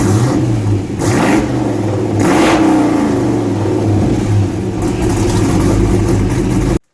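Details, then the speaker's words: Project car's first fire-up with newly installed exhaust and fuel lines, passenger-side pipe still to be adjusted: smooth idle swelling into clean rev blips and dropping back evenly, no rasp or leak, mellow until revved. Normal exhaust tone. "sounds pretty good I'm pretty happy with tone kind of mellow till you get on it and it's got that kick"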